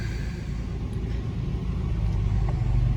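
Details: Nissan 300Z manual with a knocking noise traced to the catalytic converter, after replacement: deep steady low rumble at idle with no knock or rattle; normal idle.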